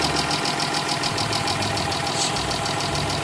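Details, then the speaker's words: Chrysler 300 3.5L after coil and plug tune-up: lumpy idle pulsing about three times a second; oil on spark plugs, valve seals need replacing, smoke mostly gone. "got a little oil with The Spar PL yeah we going have to replace the valve seals on this"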